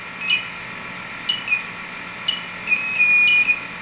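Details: Refrigerant leak detector test on a CFC reference leak: high-pitched chirps a second apart speeding up into a solid held tone; the detector is picking up the leak.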